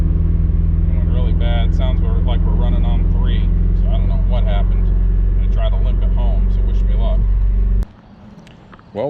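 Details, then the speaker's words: Miata engine that let go on the road after faint grinding: heavy, lumpy idle about three thumps a second, uneven as if down a cylinder, before shutoff; spun bearing suspected, not confirmed. "i'm gonna shut you off and then we'll talk again yeah it's definitely something going on"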